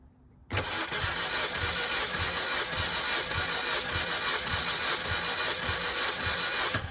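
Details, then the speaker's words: 2005 Mini Cooper S cranked through a starter bypass jumper, getting around the immobilizer, during a compression test. A steady starter spin with even compression beats just under twice a second; cylinders 3 and 4 both read 150 psi: normal cranking. "cylinder number three is also 150 psi so both those are the same"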